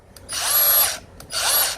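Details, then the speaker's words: Brand-new Milwaukee M18 CAG125 125mm angle grinder, first run out of the box: two short bursts of high whine each stopping abruptly; sounds tight, smells slightly electrical. Cause unconfirmed. "Doesn't sound right. Doesn't sound very good. Like it was tight in there. Smells a little bit electrical."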